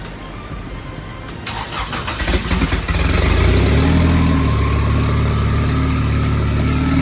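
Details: Boosted Honda B20B4 turbo four-cylinder after repairs (new ground wire off painted valve cover, new oil feed line, fuel fix, wastegate replumbed and top vented): starter cranks about two seconds, engine catches and settles into steady, even idle with no misses.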